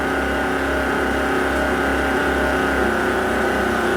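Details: Volvo Penta KAD 44 marine diesel, very tired, just fitted with a new starter: loud steady running with a prominent constant supercharger whine on top.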